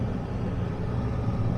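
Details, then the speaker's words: Houseboat air conditioner running after repair of a flat R22 system: parts were replaced and it was charged with 422 drop-in refrigerant. A steady low hum with no rattles or hissing, and it is cooling down normally. "It's cooling down. It seems to have worked."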